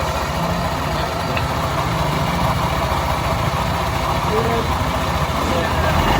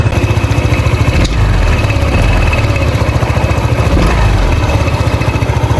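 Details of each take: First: Honda PCX 150 scooter after CVT repair: the belt had been slipping, so a new pulley and a 1,200 rpm MTRT clutch spring were fitted. Even idle picks up cleanly in two short revs with no rattle or slipping hum; normal CVT operation. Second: Honda PCX 150 before CVT repair, engine running: uneven low flapping chatter about three or four times a second from the belt case; worn CVT pulley letting the belt slip.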